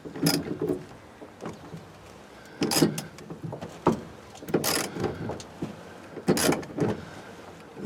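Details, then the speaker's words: 1991 Range Rover sunroof being forced along: irregular scraping creaks and clunks; the mechanism works but binds and moves stiffly with audible resistance. "quite stiff. I'm going to go around the other side and see if I can get it. The good thing is that the mechanism is working, but that's you can hear the resistance in it."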